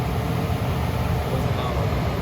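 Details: Carrier 58SSB120 gas furnace with a newly replaced double-shaft blower motor, after the old motor seized and only hummed; smooth, even rushing air with a low steady rumble, no hum, stall or scraping, normal blower operation.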